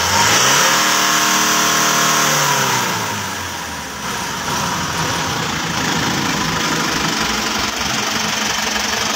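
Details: Isuzu Traga truck engine revs, then runs rough with a steady knock about four times a second; the symptom is knocking.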